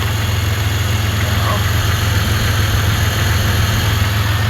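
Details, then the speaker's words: Centurion that quit spitting while winching, owner suspects bad fuel or vacuum leak: just started, holding good vacuum and fuel pressure, steady even low rumble, no misses or surges, responds well to throttle. "engine sounds good and everything you let it run long enough it will do it little shenanigans and you can hear it does run very well it responds to throttle very well"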